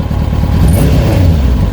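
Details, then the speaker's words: Kawasaki ZX-6R after 10 years stored, carbs cleaned, temporary direct fuel line tank to filter, airbox on top: deep throaty rev wavering with small uneven dips; slight stutter while revving, fuelling not yet clean suspected. "bit of a stutter, but I mean, bearing in mind it hasn't run for a long while, I think that's pretty good."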